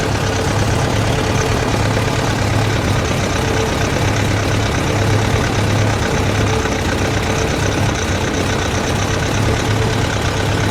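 Engine idles with a lumpy, uneven low rumble and irregular pulses; a rough idle, cause not yet found.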